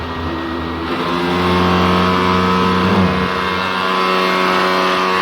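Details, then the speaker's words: Sony PS3 CECH-3001A with the three-beeps shutdown fault, powered on with a stable green light: a steady whirring tone climbs, then holds loud and even as the cooling fan reaches full speed, just before the console shuts down with no display. "Okay, power on, green light stable. Fan is speeding up."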